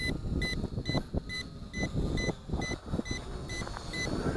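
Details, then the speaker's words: ATTOP W8 GPS camera drone with 2S 2600 mAh battery, in flight: short high beeps about twice a second over rotor whir and wind, low-battery warning sounding although the charge reads 39%; the reading is doubted. "okay I am not sure why that's beeping because it says we got 39% power"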